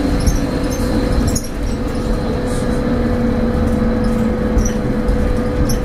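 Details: Stagecoach Cumbria Optare Solo bus 47020 (PO51 WLK) driving on Service 30 from Whitehaven to Workington, May 2015: a steady mid-pitched humming drone holds over the engine and road rumble; the source is unknown.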